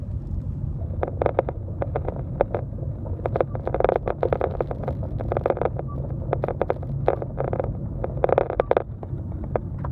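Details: 2015 Kia Optima Hybrid at nearly 20,000 miles, brakes already replaced once at about 5,000 miles for the same noise: short chirpy beeping squeals in quick uneven bursts over a low rumble when braking; brake squeak.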